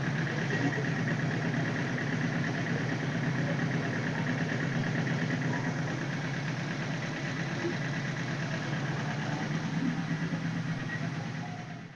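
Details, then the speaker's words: 1978 Suzuki GS1000C four with a rebuilt top end, after carb cleaning and replacing the #2 float needle valve that had stuck and flooded. New fuel filter, fresh gas; steady, even, smooth idle with no misses or fuel leaks. "So I pulled the bolt and then pulled the float and then swapped that out. So yeah, she's purring now. No fuel underneath."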